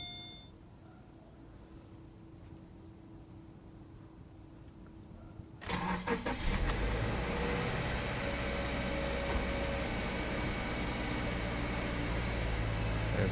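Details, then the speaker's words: 2014 Subaru Forester XT FA20DIT first start after new spark plugs: quiet, then the engine catches cleanly and settles into a steady, even idle with no misses or knocks; normal start. "looks good sounds good feels like normal I'm going to let her warm up for a little bit before I take her out on the road just to give her a a try"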